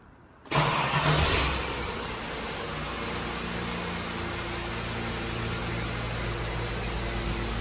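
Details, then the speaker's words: Holden VT Commodore wagon at ignition prime: fuel pump hums constantly and never shuts off; relay swap planned to check for a faulty fuel pump relay, otherwise likely the pump. "Now, I don't know if you can hear that on camera, but it's just constantly humming. It's constantly on."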